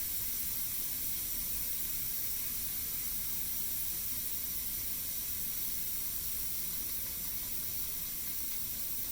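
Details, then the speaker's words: Pampered Chef Quick Cooker after cooking pot roast and mashed potatoes, pressure being released: steady even high hiss of venting steam with no sputter or whistle. Finding: normal steam release hiss. "One helpful hint, because steam is blowing out of here, you don't want to release the pressure underneath your cabinets, because that'll blow all the steam up into it."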